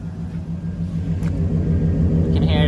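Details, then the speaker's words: Chevrolet Suburban/Silverado truck engine, fully warmed after a heat cycle, taken through the RPMs: deep, even drone with no knocks or misses, running really smooth; ignition timing needs turning down slightly, maybe a faint hint of the earlier problem remains. "I have uh gone through the RPMs, it is actually running really really smooth. Need to turn down the ignition a little bit. But like this is running great."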